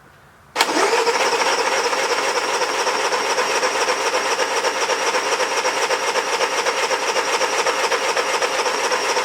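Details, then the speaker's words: Honda 3000 generator, after its old green fuel was drained, pull-started, then ran smoothly about four hours under a 1500 W heater load; steady even buzz with no misses or surging, running normally. "okay everyone so we ran the generator for about four hours and we put the 1500 watt heater on there the whole time it was under load and it ran fantastic so that's really good news"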